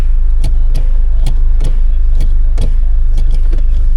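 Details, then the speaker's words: Toyota Landcruiser 70 Series 2.8 1GD automatic, wheels turning in the air after pad and disc change: a light rhythmic scrape about once a second over the drivetrain hum from a tight caliper dragging on the disc; a few brake pumps retracted the piston. "Wait a minute. What's that noise? So that caliper looks awfully tight to the"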